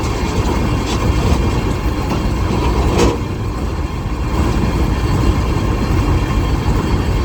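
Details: Kartar 4000 SV combine harvester started after repairing and refitting the broken straw walker, checked for any rubbing: steady, even drone of engine and threshing gear, no knocks or rubbing; running smoothly after repair.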